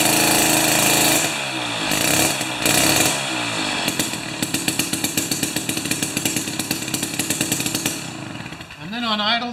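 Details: Jiffy 30 2-stroke 3HP ice auger on 30:1 fuel after J19LM plug swap: raspy revs with blips, then settles into a fast even popping idle; idles cleanly once adjusted.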